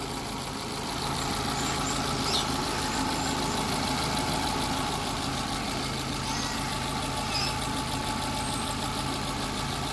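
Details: Hyundai Getz idling after general overhaul, previously weak, misfiring and noisy, with loose timing sprocket play fixed; compression 120–130: idle even and steady with no knock, rattle or chain slap; sounds healthy.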